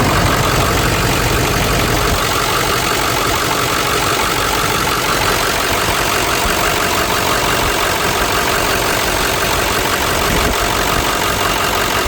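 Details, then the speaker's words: Ford F350 7.3 diesel idling after fresh oil change (Amsoil 15W-40) and new fuel filter: steady, even clatter with no misses or odd knocks, ticking over smoothly; noticeably quieter than before the change. "Now, you'll say I'm crazy, but definitely sounds a lot better. It's a lot quieter. These 73's are loud to begin with, but it is definitely much quieter with fresh high end oil in it."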